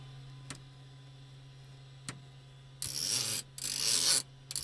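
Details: Cessna 401 engine sitting over 15 years, after fuel system cleaning, injector lines into cups: auxiliary fuel pump runs with a steady low hum and hissing bursts as fuel sprays out, even flow in all cups; normal.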